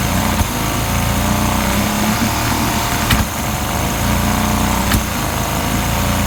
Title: Yamaha 50d misfire